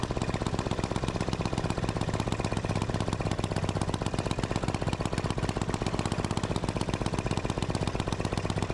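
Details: Gravely C10A repowered with a 418cc Yanmar-clone single-cylinder diesel, first run after cold-start troubles: crisp, even firing about four times a second, no misses; healthy normal running, though shutoff point sits low in the rev range.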